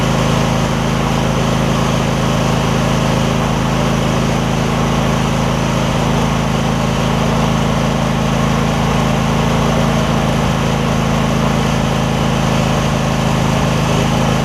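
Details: Husqvarna rider with 24 hp Briggs V-twin, about 190 hours, started after refitting a fallen right-cylinder exhaust pushrod: steady, even low hum with no misfires, ticks or hunting; idling smoothly on both cylinders.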